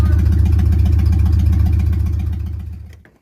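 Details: Replacement engine in a 1947 Plymouth Special, first crank since sitting from 1975 after freeing stuck valves: lumpy, uneven chuffing about 220 beats a minute, then stumbles and dies; found dead on three cylinders, misfire.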